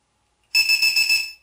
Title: Lipo Aşırı Desarj ve Low Battery Alarm Kullanımı